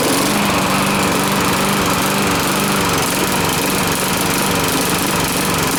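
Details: Briggs & Stratton push mower that blew black smoke and oil out the muffler, with oil level somewhat high, run with the air cleaner off. A loud drone stumbles and wavers instead of holding an even beat: rough running, overly rich.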